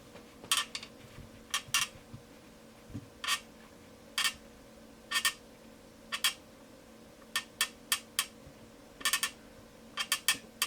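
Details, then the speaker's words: Two-year-old Dunlop Cry Baby wah pedal: short, scratchy chirps each time the rocker moves. "that an annoying noise or what I mean really Dunlop should put this sound on their ads this is the sound of a real crybaby"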